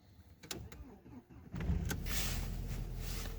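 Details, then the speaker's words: VW Passat B5 1.8 Turbo that would not start cold, after sitting overnight, coolant about 1.5°C, battery voltage low: short crank, then it catches immediately and settles into a steady, even idle; a normal cold start. "odpalił robota zakończona sukcesy dziękuję"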